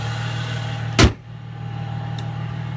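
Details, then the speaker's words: 2005 Mercedes C240 4MATIC project car idling: smooth, even low hum holding steady apart from one brief bump; running good with no problems. "so anyways that's the car running good no problems"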